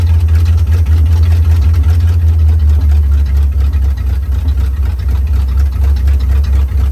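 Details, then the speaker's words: 1956 Chevy Bel Air 265 V8, freed from seized, fed from a boat tank with carb bowls filled and no radiator: deep, slightly lumpy V8 burble idling on its own; running acceptably. "Runs and it don't run too bad. Would pretty well sit there and idle by itself."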